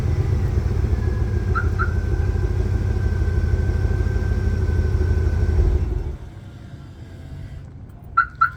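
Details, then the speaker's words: 2000 Chevrolet K3500 with 7.4L (454) big-block gas V8 at 147,000 miles, no codes, after remote start: deep, smooth idle with an even low rumble and no knocks or misses, then shut off; normal idle. "let's do remote start one more time just cuz it sounds so good and I'm going to miss this sound"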